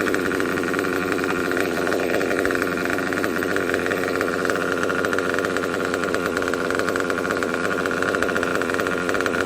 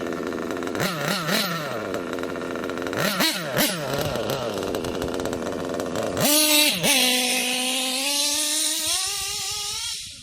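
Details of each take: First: Kyosho KE25 Big Block nitro engine, tank topped up to half, during a high-speed needle tuning pass: constant high-pitched buzzing scream at wide-open throttle, no cutting out or sagging, good smoke trail, good performance. Healthy, properly tuned high-speed running. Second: Kyosho KE25 Big Block nitro engine, pinch test after leaning low-speed needle slightly: high buzzing idle surges upward when fuel line pinched, then cuts off; low-speed needle still a little too rich.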